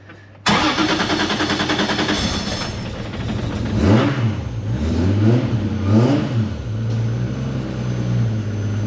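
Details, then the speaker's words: Cold start of a 2JZ-GTE swapped into a rear-wheel-drive Honda Odyssey before tuning: brief crank, catches cleanly, sharp throttle blips, then smooth even fast cold idle; engine sounds healthy, though gearbox spigot bearing suspected failing. "sounds sweet. A bit cold."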